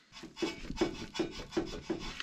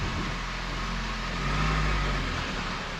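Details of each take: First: Car's left front sway bar end link, rocked by hand: dry clicks with a rasping rub about every 0.4 seconds, matching the clicking heard when driving over holes. Worn sway bar end link. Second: Car driving after a sway-bar replacement: steady low road rumble, no repeated clicking or knocking over bumps; the earlier annoying clicking is gone, and it rides quiet and smooth.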